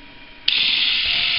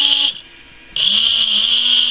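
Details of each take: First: Philips rechargeable cordless shaver, fully charged, only 1.25 V measured at the motor: steady but soft, slow buzz; motor spins too slowly for lack of voltage, owner plans to double voltage for double speed. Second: Philips cordless shaver after a modification soldering a wire to feed battery DC directly to the motor, bypassing the circuit board. Motor spins up quickly to a steady high buzz with even pitch, now at normal shaver speed.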